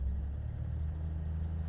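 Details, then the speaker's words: Jaguar XJ6, idled about five minutes to warm up after a misfire that owner suspects is moisture in new fuel: deep, even drone held around 1500 rpm with no stumble; engine runs fine, normal steady revs. "1500 it's running just fine uh let's just take it for a spin"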